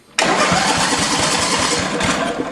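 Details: Coleman Powermate 5000 W generator with newly added electric start (new ring gear, relay, push button), engine switched off to check only the starter: even, brisk cranking at about ten turns a second. The starter engages and spins properly.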